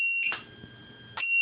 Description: After 60 seconds of that servo not being used or moved in flight or not it produces LOUD frequency beeps that can be heard over 400 feet.